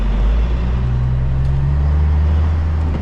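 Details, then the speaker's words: Old cabover truck driving at night after new alternator belts fitted: steady low diesel drone and road rumble, belts no longer squealing. "Okay, the belt ain't spilling no more. So, that's good. That is [ __ ] what I'm talking about because that was going to drive me crazy."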